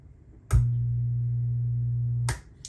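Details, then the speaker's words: Musicman 115-HD tube amp powered up again through a current limiting bulb with the old power tubes still in. A click, then a steady low hum for about two seconds until switch-off: the short at power-up. "You want to see what a short looks like? You know what it sounds like when you have a current limiting bulb."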